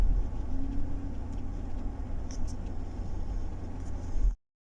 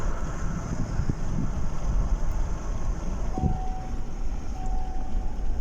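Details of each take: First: 2012 Chevrolet Tahoe V8 after new spark plugs, with a cylinder 5 misfire. The rumble stays uneven and lumpy and at times worsens with throttle, which marks an electrical rather than fuel misfire. A cracked plug ceramic is suspected, possibly broken while tightening. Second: 2012 Chevrolet Tahoe V8 after the cylinder 5 misfire was fixed; the cause was a plug ceramic cracked during installation. An even low rumble with no stumble or jerk, steady on throttle, with cabin chimes in the background. Running normally.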